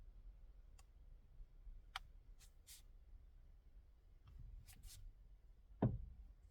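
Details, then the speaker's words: 2018 Hyundai Creta, front-wheel drive, G4FG 1.6 L, 105,000 km: sharp, irregular knocks and clicks as the wheel is turned, engine on or off, felt near the electric power steering; plastic or rubber suspected, seemingly not getting worse, cause unconfirmed. "В общем проблема такая рулем крутишь когда без разницы заведенная не заведенная не такой стук"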